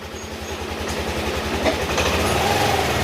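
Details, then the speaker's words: Yamaha Aerox 155 after an engine overhaul on a cracked engine, with sensors, throttle body and magneto refitted and coolant added: a quiet, even idle with no tapping, before warm-up. The earlier tok-tok-tok was blamed on the slider piece. "Ayan, paantay na natin kung may pinagkaiba ba o nagbago. Ayan, tahimik na tahimik."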